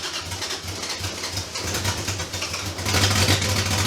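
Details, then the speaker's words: 2JZ engine in a Datsun, first start in 10 years after compression fix and rebuilt VVTi gear: high idle with uneven lumpy stumbling beat, sounds like misfiring or not firing on all cylinders — rough idle. "right so as you all can see we actually got the car started in this episode however something sounds like it's misfiring or not firing on all cylinders"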